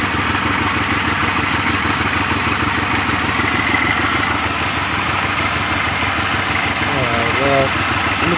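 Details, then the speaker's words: 2006 Pontiac Grand Prix after a supercharged drivetrain cradle swap, first start after fitting plug wires and coils. It idles better but with an uneven, stumbling beat and a periodic skip, and the hood is shaking. Engine misfire at idle. "A lot better. Still sounds like it has a misfire though. Hard to tell, but the whole hood's shaking. Yeah, you can still hear it."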